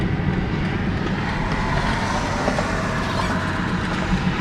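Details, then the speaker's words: BMW 228i Gran Coupe loaner while driving, pulling left under braking; constant low rumbling drone that rolls with road speed, rotational noise from the front driver-side wheel, cause unconfirmed. "I hope you can hear all the noises that rotational [ __ ] coming from the front driver side wheel I mean this car's got Big [ __ ] Problems big problems"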